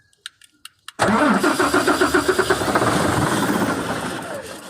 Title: 6m70 hard starting